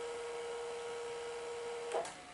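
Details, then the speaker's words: Zenith Betamax VCR after full service and motor bearing refitted: smooth, steady mid-pitched transport whir in fast forward, stopping cleanly with a soft clunk; normal. "but it is playing beautifully got forward"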